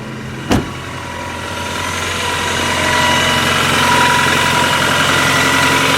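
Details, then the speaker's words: Worn high-mileage 2000 Toyota Camry four-cylinder, cold start after exhaust flex pipe repair: quick crank then busy, rattly, clanky run with light clatter from worn components; exhaust much quieter, no check engine light. "It's rattly, it's clanky, it's got mileage. Starts right up. It runs."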